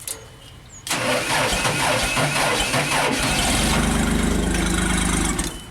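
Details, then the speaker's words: JLG Baby Scissor lift small engine started from ground controls, battery weak and cranking slowly: it turns over evenly for about five seconds but never runs. The scope shows engine speed 0 and no crank signal; owner suspects the crank sensor. "Engine speed is 0, and we had no crank signal."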